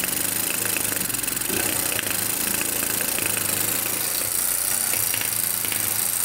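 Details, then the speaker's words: Kawasaki Bayou 220 ATV, pull-started, single-cylinder: runs rough and hissy with irregular sharp backfire pops spitting out of the carburetor; valves to be checked next. "all right you can kind of hear it backfiring it's popping out of the carburetor"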